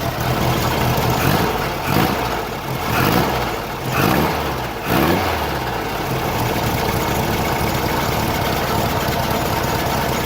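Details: VW Beetle 1600cc with a Spectra Premium distributor remanufactured from a 1986 Suzuki Samurai 1.4L one, after timing adjustment: a few throttle blips, then a steady, even idle with no misfire or hunting, and a bit more power. Normal idle.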